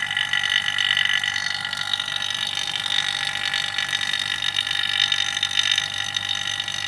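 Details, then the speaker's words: Vacuum pump evacuating a Polytron refrigerator after leak repair, before refrigerant charge: steady drone with a higher, thinner tone and light pulsing, sound changes once full vacuum reached; gauge reads about 30; normal. "teman-teman sudah Vakum ya terdengar dari suara bunyi mesin vakum ini teman-teman karena kita bisa membedakannya antar lebih sebelum vakum dengan yang udah vakumnya beda suaranya"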